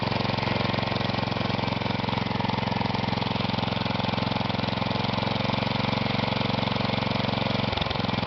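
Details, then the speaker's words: Kohler Magnum 16 hp (K361 block) single-cylinder replacement engine on a Bolens 1256, very low idle, leaky muffler, no air cleaner: fast, slightly uneven chuff, running a bit rough and needing adjustment; no smoke. "Idle's really low. Yep, just running off the battery of the 1250, the H14. Started doesn't sound the healthiest"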